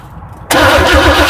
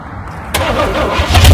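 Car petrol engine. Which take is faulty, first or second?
first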